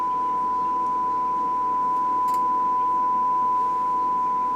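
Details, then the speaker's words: Recapped 60-year-old Perpetuum Ebner Model 99V amplifier powered up for the first time, channel 3: a steady pure tone around one kilohertz with no hum underneath, a clean sine wave; an earlier silent output was just a dirty pot. "60 years old and no hum. And a beautiful sine wave."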